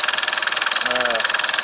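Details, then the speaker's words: 601 diesel engine, warm idle after topping up low oil, which the owner blames for a cold knock he suspects is the hydraulic lifters. Regular diesel clatter at about eight beats a second with no separate valvetrain tick; when hot, the lifters have stopped knocking. "Сейчас мотор прогрет. Появилось это из-за того, что был низкий уровень масла. То есть я долил масло, и потом на горячую уже звук перестал"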